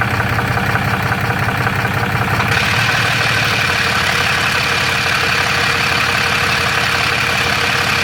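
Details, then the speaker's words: Third-gen Ram with 6.7L Cummins and Jasper transmission, fairly new torque converter, converter bolts checked tight, idling: loose uneven metallic rattle from the bell housing; owner suspects cracked flex plate, torque converter, or normal triple-disc converter noise. "third gen ram with the six seven cummins i got some rattling noise uh it seems to be coming out of the bell housing"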